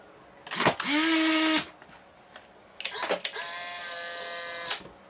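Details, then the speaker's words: Two Polaroid SX-70 cameras at the same voltage ejecting a single shot from an empty pack, one with the 20,000 RPM replacement motor; two short whirs with a steady high whine, the second longer, the slower one taking nearly twice as long, healthy ejection. "so the one on the left here takes I don't think quite twice as long but nearly twice as long to eject"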